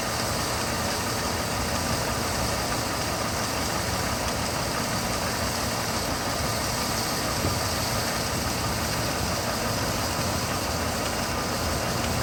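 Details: 2006 Mercedes C230 at idle: a constant airy hiss over the low engine rumble; a crack in the intake manifold is suspected as the vacuum leak, not confirmed.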